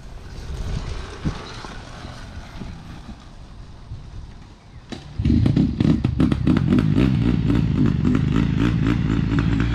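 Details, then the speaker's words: 2020 Honda CRF150R big-wheel dirt bike, sat unused and wouldn't start, first firing after pop start on choke; quiet start then ragged, uneven running stuttering about four times a second; they suspect it needs a carb clean; lean low-end stumble. "Why is it making that sound? Oh, okay. I thought the engine was shot or something."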